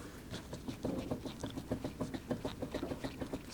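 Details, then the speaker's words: Car at about 260,000 miles, turbo also failing: rough uneven clicking and scraping with squeaky edge as the wheel turns, heard while driving and checked underneath; bad wheel bearing/hub. "well I heard a wheel bearing noise when we were traveling along when we were coming back I wonder if we don't have a bad wheel bearing oh yeah listen to that guys"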